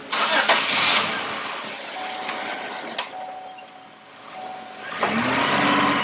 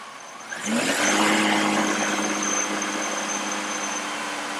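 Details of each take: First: Warm engine after switching to closed loop, brake-torqued in the shop after bogging on a hill at about 40 mph and smelling rich: uneven, stumbling beat with dips in the drone; misfire under load, cause not yet diagnosed. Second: Engine note climbs cleanly on acceleration and settles to a steady, even run with no misses; the oxygen sensor is switching and short-term fuel trim pulls fuel on the throttle. This is normal acceleration during a "runs bad" diagnosis.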